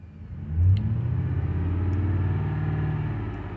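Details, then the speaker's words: Freshly rebuilt 2007 Ford 5.4L 3V V8 revved to 2000 rpm, 70 psi oil pressure, after first start; coolant temp sensor reading oddly, battery light flashing; smooth even rev, no knocks, ticks or rattles; healthy. "it's 2000 rpm carrying 70 pounds all pressure it sounds excellent it sounds great"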